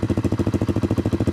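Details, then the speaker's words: '82 Honda Z50 with a brand-new swapped-in Lifan 125cc 4-speed single, muffler on: fires on the first kick and holds an even, crisp, quiet putter at about ten beats a second with no misses or knocks. Normal idle. "that's what it sounds like right here no nothing crazy it's really quiet actually and i kind of like it like that i've been able to rev it up but uh sitting here at idle pretty quiet pretty decent"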